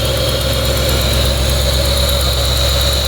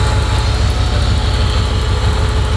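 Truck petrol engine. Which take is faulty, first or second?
second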